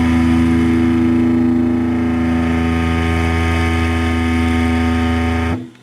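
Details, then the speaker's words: Silvertone 1474 tube guitar amp, Channel 2, mic held close to the furthest 12-inch original speaker: a held guitar note carries a gritty bumblebee buzz from a seriously damaged speaker voice coil. "no doubt about it there's some rattle going on there well this isn't a real common problem thank God but it's a really annoying one when you go to Just mint original speaker like this it seems perfect in every way and it buzzes like a six PB bumblebee"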